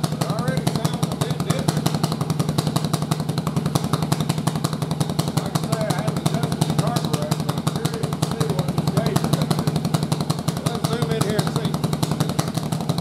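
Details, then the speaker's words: Yamaha Virago V-twin with single-carb intake manifold: steady, loud idle with fast, slightly uneven pulses after cam timing moved 180 degrees so the front cylinder fires first, testing whether front/rear air-fuel imbalance swaps with firing order. "Now let's fire it up and let's see if that swaps that front and rear air fuel ratio to where the rear now goes lean and the front goes richer. That's going to tell us that every bit of this issue about this unequal air fuel ratio is related to how the cylinder fires."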